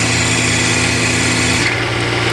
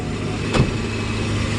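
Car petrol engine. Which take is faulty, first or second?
second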